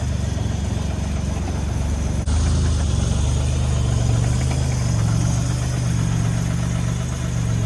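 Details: First start of the 1984 Grand National after the engine rebuild (rebuilt 140 block, fresh cam), coolant just filled: deep, even idle rumble with a brief dip, then back to a steady beat; engine smooth and healthy.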